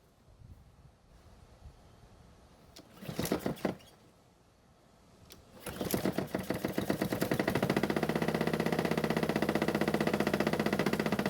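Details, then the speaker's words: Honda mower started with blades removed: settles into an even rapid knock about four per second, noise still present, so blades and clutch ruled out; owner suspects a bent crankshaft, later checked by looking for blade bolt wobble. "well this is not what I wanted to see or hear the noise is still there and I think I know why"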